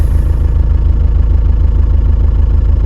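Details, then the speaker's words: Ford Transit 2.2 FWD diesel after an engine rebuild, with the cylinder 2 rattle traced to the ECU: smooth, even idle with no knock. Normal diesel idle. "Плавный звук, звучит отлично. Ну вот и всё , поехали."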